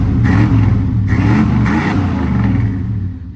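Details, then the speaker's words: 1995 Chevy Silverado 1500 extended cab flareside at auction; two quick throttle blips raise a deep V8 burble that falls back toward idle, clean and even; sounds good, normal free rev. "Let's give her a little rev. Whoa, she sounds good. She sounds good."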